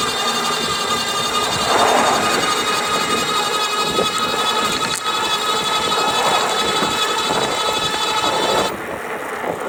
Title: GoCruiser rattling noise between 670 to 725 watts